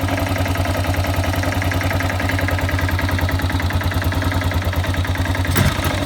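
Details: Yamaha XT600 2KF single-cylinder at idle: steady thump with a loose, irregular tapping on top; abnormal mechanical noise, source unclear.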